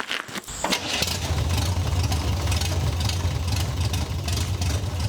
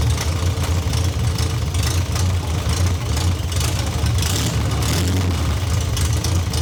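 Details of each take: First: MGB with rebuilt engine and nearly all parts replaced, first start to drive after 27 years: catches quickly, idle with uneven slightly lumpy stumbling beat; carburetors untuned, need tuning. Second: MGB GT after refitting missing starter motor-to-solenoid post bolt that caused weak connection; engine catches and settles into steady, even idle with deep regular exhaust beat, no misses or clatter; sounds healthy.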